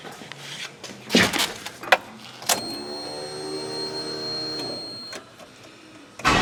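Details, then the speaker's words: LS-swapped Mazda B2200, Bosch 044 fuel pump relocated flush with tank bottom after previous pump failure: steady electric hum for about two seconds; the pump primes normally. "there she goes she's starting to prime now"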